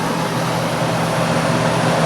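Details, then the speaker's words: Curbside-found Hampton Bay (Whirlpool) BHDH2500AS1 dehumidifier at switch-on: steady low smooth drone from what sounds like a reciprocating compressor with soft rush of refrigerant flowing; nice normal startup, runs fine. "Heard the gas start flowing through it. And the compressor has a nice startup sound. A lot of these Hampton Bay branded ones did have a nice startup sound."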